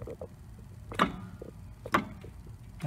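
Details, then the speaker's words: 1999 Mercedes S320 W140 in neutral: sharp single clicks about once a second as the driveshaft is rocked by hand at the front flex disc, which joins it to the transmission and clicks when changing gears; worn flex disc needing replacement. "but this one often needs to be changed because it's clicking"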